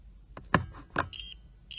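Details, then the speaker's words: 2015 Nissan Altima push-button start: two short high beeps from antenna detector at start switch with door closed, keyless antenna transmitting properly, safe to program keys. "so as long as you hear that beeping you know you're good to program keys because that antenna is functioning in this car"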